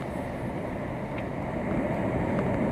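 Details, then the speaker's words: Pool leak detection listening at a structural crack in the pool shell: steady hissing rush of water, pressure forcing it out through the crack; leak confirmed at the crack, plumbing lines later static tested. "You hear that water, again, the pressure of the water pushing out through the crack."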